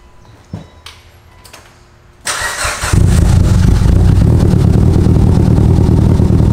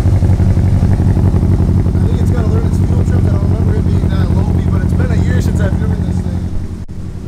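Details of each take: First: 700 HP Mitsubishi Evo, restart after plugging back in a disconnected injector: a few clicks, then prompt catch and steady even idle without misfire; smoke burning off oil on parts. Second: Modified 700 hp Evo: loud uneven idle pulsing about four beats a second with a lumpy, stumbling rhythm; misfire because one fuel injector was left unplugged, a simple mistake.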